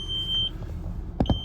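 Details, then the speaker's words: 2003 Audi A6 idling after long storage: single high chime sounds twice, dashboard warning chime for active lights; cracked windshield washer fluid tank and an oil pressure sensor the owner believes is faulty. "we do have a couple of warning lights um the um the windshield washer fluid uh tank has a crack in it"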